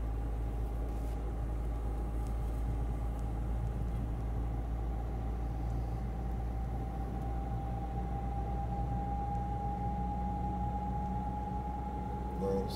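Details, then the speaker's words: Car driving on road, heading to workshop for timing belt, oil and filter change: steady mid-pitched whine over road rumble, rising slightly with speed; owner suspects gearbox more likely than a CV joint. "słychać, albo przegub któryś wyje, ale prędzej skrzynię."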